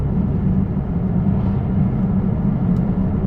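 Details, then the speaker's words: 2011 Peugeot 508 GT, 2.2 HDI 200 hp diesel, fourth gear, foot flat without kickdown: deep steady drone barely building, no audible turbo; loss of power under full throttle, under-boosting and very sluggish, after dealer failed to find the fault. "I had my foot all the way down the car the way I feel it is there is no Turbo okay first of all I can't even hear the turbos"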